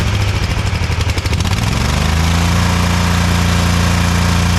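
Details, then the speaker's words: Ever Ride Hornet zero-turn, 25 hp Briggs & Stratton V-twin, 520-some hours, after new Champion RC12YC plugs: deep thump at idle wavering unevenly, lumpy early then settling; still rough, owner suspects a chewed spark plug wire. "still doesn't sound real great it's better than it was but I'm still wondering if we got a chewed spark plug wire or something"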